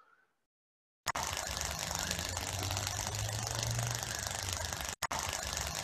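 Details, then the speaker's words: Corona discharge, a partial discharge, heard in the audible range: constant frying crackle over a faint steady low buzz. "j'aurais d'abord de l'effet couronne c'est ce qu'on entend dans la vidéo ici"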